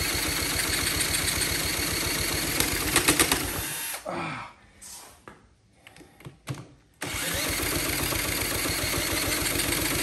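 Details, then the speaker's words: Honda CT70K1 cranked with a drill at wide-open throttle with starting spray and fuel in the bowl: fast, even cranking pulses over a high whir, a pause, then more; engine spins but never fires, owner suspects low compression. "man it sounds like it's trying to catch all right give my drill a break"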